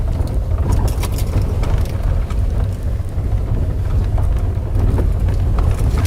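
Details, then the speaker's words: VW Polo Sedan on a rough stony road: clattering, rattling and side-to-side swaying from the suspension, felt through the steering wheel as if something heavy were loose; knocks over bumps began at about 10,000 km, source unconfirmed. "мы будем объезжать вот слышите как громыхает и какая то вот раскачка появилась"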